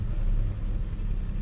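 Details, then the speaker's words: Nissan Xterra 3.3 after replacing the bad injector that caused the P0306 cylinder 6 dead miss: low, steady, even rumble at idle with no miss or stumble. Misfire fixed; engine idling smoothly. "you can see it's pretty smooth you know no you can't plate probably tell it but so that took care of the dead mist"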